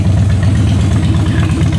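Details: Salvage-auction wrecked 2013 Harley-Davidson Heritage Softail idling before a short test ride; even loping thump about four beats a second, deep and steady, no ticks or knocks. Sounds real good, normal idle.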